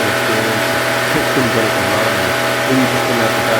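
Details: Honda EB1400X generator (107cc, 3HP, 1400 W), started with a drill after carburetor cleaning and restoration: steady, even small-engine drone under music with no misses or surging; running smoothly while warming up.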